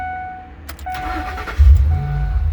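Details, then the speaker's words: 2003 Ford Expedition XLT after replacing burnt PCM relay and melted fuse that caused clicking no-crank; door chime, brief crank, fires straight away and settles into steady idle; starts normally. "oh my gosh it worked so like I said oh wow I I I fixed it"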